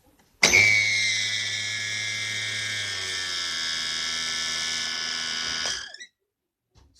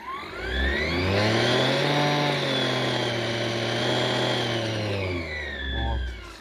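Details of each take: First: Braun CombiMax K700 food processor running: shrill, steady squeal over motor hum, likely a dry, unlubricated bushing; to be disassembled and lubricated. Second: Braun CombiMax K700 food processor after repair: motor spins up, runs with a steady even hum, then winds down, the previous squeak/whistle gone and the shaft turning freely.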